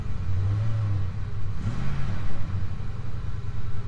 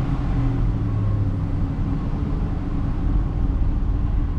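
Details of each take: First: Ford F-150 with no-fuel stall (P0174, P0191) after installing a new fuel rail pressure sensor: catches and answers a light throttle blip cleanly, steady low rumble settling back without stumble; possibly running better. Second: Ford F-150 with no-fuel stall and P0174/P0191 codes, before repair, after sitting five minutes: fires up but deep, uneven idle rumble with loping surges around 1000 rpm and shaking; fuel starvation, not fixed.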